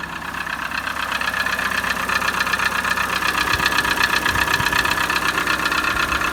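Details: Peugeot 307 1.6 at steady idle: a sharp, even ticking about four times a second; knock inside the engine, source not pinned down.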